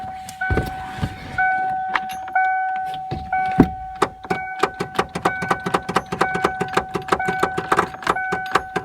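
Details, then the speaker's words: 1994 Ford Ranger revived after sitting, in neutral, key on with fuel pump running; rapid dry clicks over a steady chime, speeding up, no cranking. Starter solenoid clicking, no crank. "Solenoid just keeps clicking."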